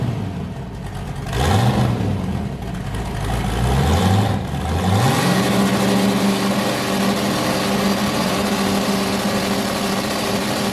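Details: Boosted V8 with a new cam, fired up after a repair and before warm-up; it had earlier hit 23 psi and blown a coupler. Two rev blips with rising pitch, then a loping, uneven idle on all cylinders: a normal lumpy cam idle.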